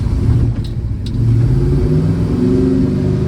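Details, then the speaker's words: 1965 Plymouth Barracuda (originally 273, three-speed), 360 V8 with Magnum heads and EFI, Tremec TKX five-speed, on its first test drive: the V8 revs unevenly and hesitates instead of climbing cleanly, reluctant to keep running; suggestion to check the ignition timing and base fuel settings. "I think you need to check the timing maybe the base fuel settings because it it is not happy"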